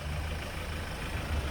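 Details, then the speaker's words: Kia Sportage R towed in after stalling while driving, suspected faulty injector; key on, fuel line air-bleed running, heard through a probe: even steady flow hum with no bubbling or gurgling, so the low-pressure fuel pump works normally. "지금 여기 지금 그 유체가 아주 그 기포가 발생이 되지 않고 정확하게 유체가 흐르는 소리가 들리네요. 이러면 연료 저압 펌프는 지금 현재 잘 작동하고 있다, 그런 뜻이에요."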